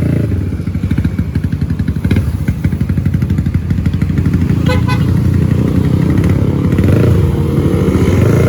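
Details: Supra GTR 150 single-cylinder bored up to 63 mm (about 180cc) with bigger valves, after a lack-of-power complaint, on the road test: pulls and revs cleanly with no valve-train tick or clatter. Power now good and the earlier noise is gone.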